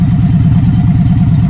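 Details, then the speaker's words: Victory Judge V-twin with a 2-into-1 exhaust at idle: a loud, deep, lumpy throb with a shaking pulse, more vibration than a Victory normally gives; the owner suspects an unknown modification. "Now, I know something's been done to it because it shakes like a Harley. Victories don't do that unless something's been done to them."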